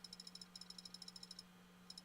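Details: Failing hard drive in a laptop: rapid bursts of sharp evenly spaced ticks, about seven a second, over a low steady hum as the heads keep seeking during an attempted repair around failed sectors.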